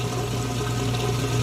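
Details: Whirlpool top-load washer with two-speed motor, heavy jeans and towels load, draining in the rinse cycle: steady low pump hum with water rushing through evenly, no grinding or rattle; drains normally.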